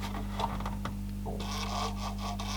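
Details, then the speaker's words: Panasonic RX-DS520 boombox (about 1996) being repaired for a CD not reading, powered in CD mode: faint quick ticks and a soft whirr as the lens centers and moves up and down, over mains hum. Normal CD focus search. "doing a little searchy thing, centers itself, lens goes up and down a few times."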